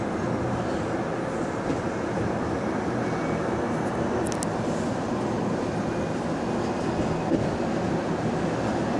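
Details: GAL bus EBD67 on route SL4, after its creaking suspension noise was fixed: a steady, even drive rumble with no creaks or knocks over bumps. Normal ride, no suspension noise.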